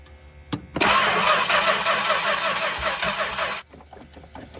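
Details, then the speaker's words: 1964 Chrysler Newport, sitting 2.5 years, with spark confirmed, a working accelerator pump and plenty of fuel: about three seconds of brisk, even cranking with no cough while the choke and throttle are adjusted; cause unconfirmed. "Sitting here playing with the choke and throttle, trying to find what it likes, but I haven't even heard a cough or anything yet."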